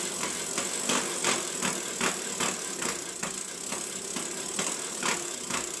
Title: Giant Talon 4 2014 freehub/hub issue (Grinding Noise)